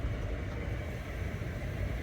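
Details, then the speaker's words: Ford/Lincoln Town Car-type engine idling in gear with the AC compressor engaged after cleaning the idle air control valve: steady low rumble with no sag or hunting, rpm moving at most about 50 as the compressor cycles. Normal idle under AC load. "it shouldn't move at all Maybe by like 50 RPMs see that's the compressor went back up that's good"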